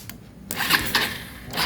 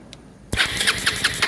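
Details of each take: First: Rouser 220 motorcycle that won't start, starter relay bypassed: starter turns the engine over in quick even chugs, about six a second, but it never catches; cranks without starting. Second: Bajaj Rouser 220 motorcycle that won't start, checked for spark, compression and fuel. Crisp, fast cranking with even compression pulses about six a second and no dragging or clicking; the starter turns strongly.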